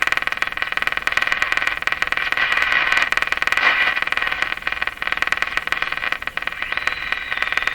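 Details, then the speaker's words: Canadian Westinghouse Model 684 tube radio on broadcast band after IF bypass circuit rework, before antenna ground added; steady buzzing with sharp regular crackling clicks about four a second while tuning, interference drowning out stations. "The tune. Try to get a station in here despite that interference."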